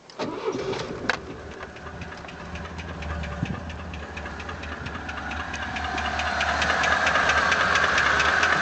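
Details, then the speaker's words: ZMZ 406 engine at idle after start; steady light tapping about three knocks a second near cylinder 4, owner suspects wrist pin knocking in cylinder 4 connecting rod. Engine knock at idle. "Похоже, как палец стучит в шатуне на 4-м цилиндре."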